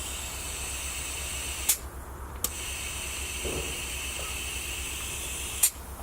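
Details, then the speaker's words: Mazda RX-7 FC turbo intake pressurized with air and smoke during a boost leak test: steady loud hiss over a low pulsing hum, smoke escaping at the back; boost leak, system still not holding pressure. "So you can hear a lot of hissing coming out of the back here, and you saw the smoke coming out."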